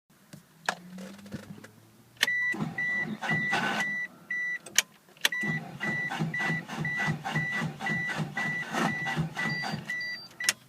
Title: 96 eclipse GST Bad starter?